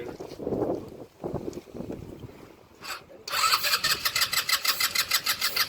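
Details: No-start engine with a choke: quiet cranking attempts, then after starting fluid and a carburetor squirt it catches and runs with a quick, fairly steady beat; fuel line delivery fault suspected.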